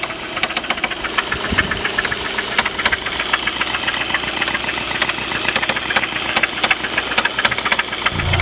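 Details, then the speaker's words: Audi 1.8T AEB engine knocking, owner suspects hydraulic lifters; chain tensioner checked, new hydraulic tensioner and oil pump: sharp metallic ticking knock three or four times a second, loud and uneven. "Ужасно, просто ужасно стучит."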